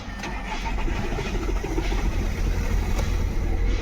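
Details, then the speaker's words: Skoda Rapid diesel starts only after long cranking, glow plug light blinking, then idles roughly with a stumbling, uneven beat; fault code for cylinder 4 (P0204). That cylinder is dead and the misfire comes from a faulty injector. "यहां पर अभी start हो गई लेन engine misfire इसकी वजह से हमारा cylinder काम नहीं कर रहा इसकी वजह से इंजन मिस फायर हो रहा है चार नंबर का फड कोड दिखा रहा है"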